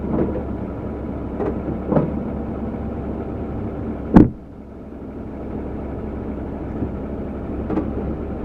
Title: GMC clunk noise when shifting Reverse to drive